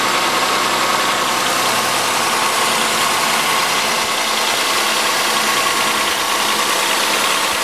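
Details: 1997 Chevrolet Malibu 3100 V6 with 75k miles, lower intake manifold done about 8k ago, cold start idle: busy rattly clatter and light knock, owner suspects piston slap, not confirmed.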